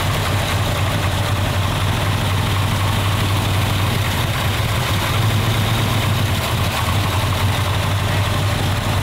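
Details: 1966 Pontiac GTO, possibly original V8, revived after years sitting in a field, carburetor choke in use: even, steady low idle rumble with no knocks or misses, a little blue smoke; normal idle.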